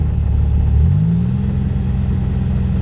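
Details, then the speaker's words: Centurion that stalled off throttle, owner suspects bad fuel, running on injector cleaner via compressor: deep even engine rumble holding a steady note with no misses or stumbles; rough running suddenly cleared, now mostly smooth. "I don't know if y'all can hear that the engine just completely like cleared up it's running perfectly well mostly smooth"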